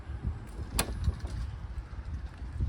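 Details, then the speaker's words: 2015 Toyota Sienna power sliding door, after lubricating the rusty sticking hinge: quiet, even motor drone with a few soft clunks, slow but closes fully and latches; normal operation after fix. "and now when I go to close this it's a little slow but it goes all the way and in fact locks in"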